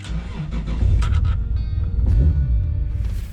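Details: Toyota Supra JZA80 RZ 2JZ-GTE on a Blitz ECU with the idle air control valve unplugged, after new spark plugs for a no-start suspected from rich running: brief crank, catches, revs up, then settles to a jumpy idle; now starts normally.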